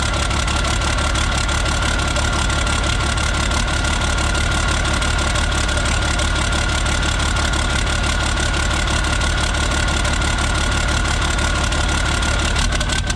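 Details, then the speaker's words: Isuzu cab-over diesel, cold start, straight pipe off turbo: uneven clattering lumpy idle with loose exhaust noise; runs rough and smokes only when a certain wiring harness is plugged in, smooth when unplugged, cause unknown. "I plug this in, it starts running rough and smoking. So I'm not really sure what's up with that."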